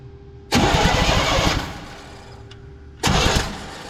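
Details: 1984 Chevy C20 3/4-ton 2WD truck, being revived after years in storage: starter cranks evenly for about a second, pauses, then cranks briefly again with a replacement distributor cap fitted. It never fires, no spark.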